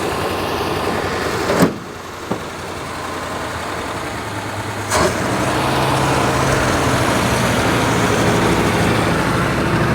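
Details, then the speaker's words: 1949 Ford shoebox car with a flathead engine, previously locked up, not run for decades in the desert, first run: steady fast even idle, runs well but idle set too high, needs turning down. "wow listen to that [Music] thing listen to how good it runs that's that's amazing wow all right you want to try it yeah get that idle down it's fining too high"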